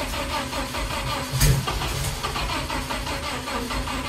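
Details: Renault R2087 Goélette 4x4 with rebuilt engine, alternator, electric fuel pump and temporary wiring, first start in a long time: short crank then an even, steady idle without knocking; normal start and idle.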